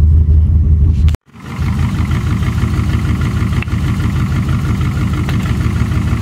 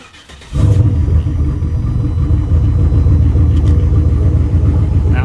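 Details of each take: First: V8 with Holley Dominator EFI, cylinders 1, 2, 3 and 4 getting no injector pulse; a deep, lumpy, uneven idle running on only four cylinders, a fault usually cleared by cycling key power to the ECU. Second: V8 with Holley Dominator EFI that had lost injector pulse on several cylinders, restarted after a key cycle: catches and settles into a steady, even idle with no stumbling; normal idle.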